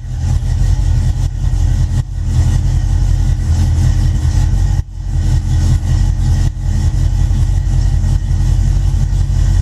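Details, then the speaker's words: Cold V8, started from cold by ignition key, starts right up: deep, steady low rumble settling into an even idle with no misses or knocks; healthy engine. "turn the ignition on it's cold but it starts right up"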